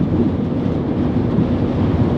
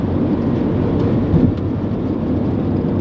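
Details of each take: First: Honda Element cabin at 80 mph on the freeway, AC off, after replacing the weather stripping: steady, even low road and wind roar with no door whistle; some road noise remains but it is significantly quieter, normal. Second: Honda Element cabin at freeway speed, about 75 mph, AC off, before replacing worn door weatherstripping: steady low roar of wind and tyre rumble, too loud for the speed; excessive wind and road noise from worn door seals.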